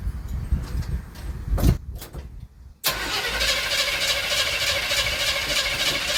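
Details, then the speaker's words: 1977 Chevy C10 Cheyenne 350 Quadrajet, new spark plug wires, cold with no choke: fires into uneven hissy lopey idle, popping through carburetor; vacuum leak at carburetor base gasket suspected. "but it sounds like it's running on all of them but it's still popping a little through the carburetor but you got to remember I haven't change that uh carburetor or the gasket on the bottom of it and that could cause some of that"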